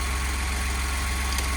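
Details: 2020 Ford F-150 brought in as a no-crank, no-power truck, running with the alternator charging 14 V while the battery still needs charging: low, smooth idle with even pulse, no knock, stumble or whine; normal idle.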